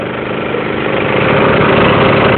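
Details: Emglo air compressor with a Honda GX160 5.5 hp engine, cold start on electric start at about half choke: single-cylinder engine runs smooth and even, the note firming up as it warms; a clean, healthy cold start.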